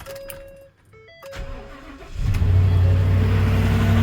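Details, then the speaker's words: Ford F-250 Super Duty 6.2 V8 first start after repair of a valve problem causing multiple-cylinder misfire: brief crank, catches at once, steady even idle with no stumble or miss, engine not shaking; normal start and idle. "Nomás para que la oigan, mi raza. Mira nomás, qué chulada. Parejita, mi raza. Parejita, mire. No se mueve nada el motor."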